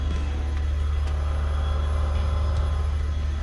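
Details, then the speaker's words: First-gen XV10 widebody Toyota Camry after fuel pump replacement and immobiliser bypass: starts without priming and runs with a steady, even low drone, no knocks or misses; normal running. "I'll just do one more test and then I'll put all this back together and we're good to go no Prime as I said before starts runs fine"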